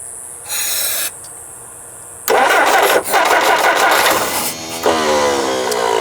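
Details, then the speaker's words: 1958 Jeep CJ5, sat about three years, previous owner said it wouldn't start: cranks in short bursts, catches briefly and sputters without idling; owner suspects fuel starvation or flooding, not confirmed. "Well, I don't know. It's close. Sounds like a fuel issue, but I'm not 100% sure."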